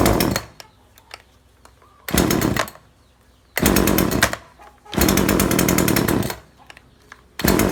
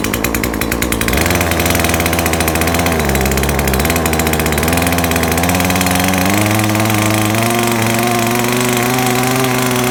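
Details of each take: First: Chainsaw that stopped revving after some use and failed an earlier carb tune: revs in short blasts that sag straight back to idle, as if the fuel is too rich; over-rich carburettor mixture. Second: Chainsaw that would not rev, after carburetor adjustment and reassembly, before final fine tuning: clean two-stroke buzz climbing smoothly and evenly as the throttle opens, with no bogging. Normal revving.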